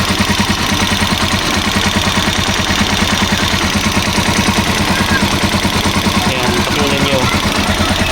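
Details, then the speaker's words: Rusi Chariot 175 tricycle engine recorded close up at idle: quick, light ticking from the top end, about three a second. It needs a tune-up with valve clearance adjustment by an experienced mechanic. "ganyan yung tunog ng ah ang makina na merong ah anong tawag nito yung tuun upin na kailangan ng tunapin lumalagatik"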